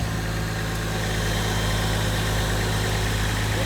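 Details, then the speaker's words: Toyota Chaser, automatic, with 1J inline-six, fairly stock with a possible old boost controller; steady even low idle hum, unbroken beat, no knocks or squeals. Idling great, belts great, seems healthy; normal idle. "yeah. I mean, it's idling great. Belts are great. I mean, it seems healthy."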